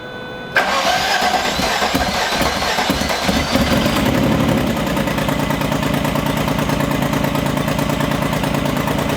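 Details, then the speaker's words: Car after a crank sensor replacement. A short crank and a clean catch lead to a steady idle without dying. It now starts every time and revs without cutting off, though the idle seems slightly rougher. "The car does turn on each time now. That's 2 for 2. The car does rev and comes back down and doesn't cut off."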